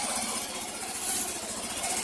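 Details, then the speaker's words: Yamaha Mio i125 scooter after exhaust work to cure backfiring, original exhaust gasket reused: short stretch of steady, even single-cylinder idle, no popping or grinding; normal idle. "ha okay swabeng swabe mga paps pwede niyong i-check dito yan dito"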